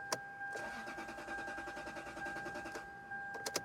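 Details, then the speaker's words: 2005 Lexus LS 430 brought in by tow truck, customer complaint crank no start; steady even cranking for about three seconds, starter spinning the engine with no catch or firing; cranks but won't start. "So, right there. I hope you can hear the engine crank. So, the engine cranks, but it doesn't start."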